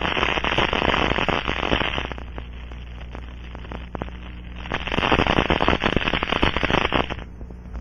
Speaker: the liquid leak amplifier is a low surface tension liquid poured over a suspected leak site in small amounts it forms bubbles that will collapse creating ultra sound detectable with the scanning module